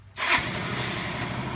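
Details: Yamaha Vino 125 scooter after a no-crank no-start was traced to corrosive goo on the battery positive wiring and cleaned, with no parts replaced: a brief starter whirr, then it catches and settles into a steady buzzing idle, starting cleanly.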